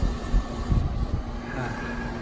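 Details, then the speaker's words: New 2-ton Lennox condenser whose locked compressor was freed: it now runs with a heavy low rumble and uneven pulsing that doesn't sound great. Compressor replacement likely, gauges to be checked. "probably going to change the oppressor anyway doesn't exactly sound so great so we're gonna hook up some gauges and see what's going on in there but she runs"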